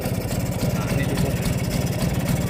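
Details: Vespa two-stroke during carburettor idle and throttle adjustment: loose, lumpy idle with a steady tuk-tuk beat that sounds close to stalling but keeps running; normal Vespa idle.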